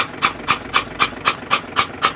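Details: FAW truck diesel with water in one cylinder, cranked with the injector out to clear it before refitting, after it wouldn't start: quick, even whooshing puffs about four a second as the starter turns it over.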